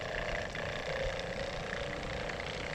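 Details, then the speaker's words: Shurflo 3.0 GPM water pump (model 4008-101-A65) on an off-grid shower with accumulator tank, powered through an inverter: steady, even buzzing drone that never shuts off, as a leaking hose stops pressure building. "Now, of course, you hear the pump running as I connected it. Why? Because look at that."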